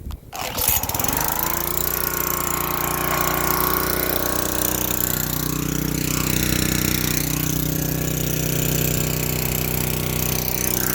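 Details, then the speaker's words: Yard-sale pressure washer small engine, revived without new parts after cleaning the fuel system; sticky choke linkage and a leaking hose. After a pull it fires and holds a steady even drone without stumbling: normal running. "Oh my god. It runs so good, though. I don't know how."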